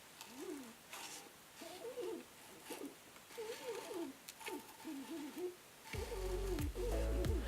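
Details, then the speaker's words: Canon lens autofocusing during video on Canon 80D body: focus motor makes a wavering, stepping whir rising and falling in short bursts, almost like a 3D printer; normal autofocus motor sound. "it's actually using a motor to autofocus and it makes a weird sound take a listen"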